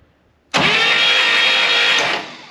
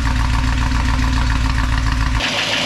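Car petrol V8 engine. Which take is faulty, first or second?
second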